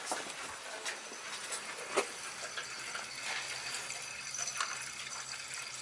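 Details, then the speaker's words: Gas boiler hydronic system, no heat in one zone, purging the second zone with the reducing valve bypassed: hissing, spitting rush with sputters and gurgles as air blows out; trapped air clearing from the zone. "you can hear the air coming out you can basically hear it when it's when it's when it's good I could just stand here and tell when it's done by by the noise"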